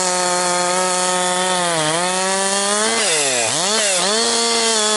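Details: Husqvarna 262XP chainsaw after rebuild, breaking in while bucking dry, dusty pine firewood; compression has come up. Crisp high-revving two-stroke scream dips in pitch as it bites the wood and snaps straight back; normal, strong running under load.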